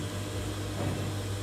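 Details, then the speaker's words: Sewing machine motor (dinamo) running right after fitting a new power switch/socket: steady low hum, even tone, no roughness or knocking; the motor runs smooth and normal. "Suaranya sangat halus dan budah kasar ya teman-teman"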